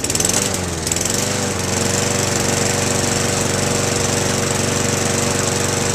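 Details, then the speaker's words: Lawnmower after cleaning the carburetor, fuel lines and spark plug and reseating a slipped float-bowl rubber seal: after a rough first second it runs at a steady, even chatter with no misses or surging. Normal running after repair. "got the old lawnmower running again let's fire it up and see what it's supposed to sound like"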